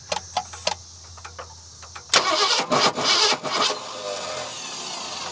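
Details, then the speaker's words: 1970 Ford Mustang V8, just revived after years abandoned: cranks, catches, revs in uneven bursts, then a shaky, unsteady idle; rough running with variable timing as distributor moves, owner suspects harmonic balancer. "I don't know it's a little variable timing variable uh shakiness I think o that balancer is not too happy"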